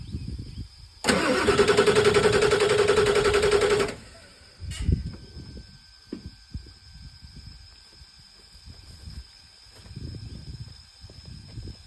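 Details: Ford 7.3 Power Stroke diesel that sometimes starts only with help and sometimes not at all: about three seconds of steady cranking at roughly three and a half turns a second, then stops without firing; crank no-start.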